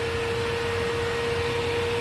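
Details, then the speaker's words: Bosch Premium Electro Duo XXL vacuum with a BBK 340 power nozzle, about 71.4 CFM at maximum. A steady roar carries a thin, constant whistle near 500 Hz from air leaking at the power nozzle joint. "so this is a problem that plagues a lot of power nozzles and in this case this BBK 340 isn't immune to it you've got leaky connections"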